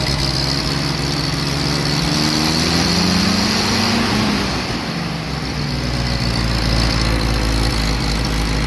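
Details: Willys CJ-2A Jeep L134, new Carter WO carb, new plugs, wires and coil, idle and mixture screws tuned by ear, heat riser not fully closed (owner unsure if related): idle wanders and stumbles with occasional misses; rough idle, cause unconfirmed.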